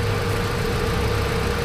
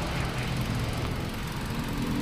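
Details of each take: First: Hyundai Accent gasoline engine at idle, before repair, with a surplus ECU already swapped in: lumpy, uneven beat with a regular hole in the firing, no firing on cylinder 4, traced to a loose socket in the wiring, not the computer. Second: Hyundai Accent gasoline engine at idle after fixing a wiring fault that caused no firing on cylinder 4, not an ECU fault: low, even idle with a steady beat and no stumbles, all cylinders now firing equally strong.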